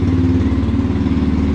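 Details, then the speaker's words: Yamaha TTR230 carbureted trail bike, hard start cured by carburetor and choke circuit cleaning and fully charged battery: even, steady single-cylinder putter at low cold idle, choke just removed, no misses; normal cold idle. "There we go. That is normal, and that is something I can live with."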